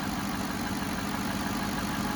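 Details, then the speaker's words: 2007 Cadillac DTS Northstar engine after power steering pump replacement (coolant had leaked on the belt): steady even idle, smooth low hum, no chirp or squeal, everything normal. "nothing's locked up I don't smell no burning belts everything's working like normal and that my friends is what a Northstar is supposed to sound"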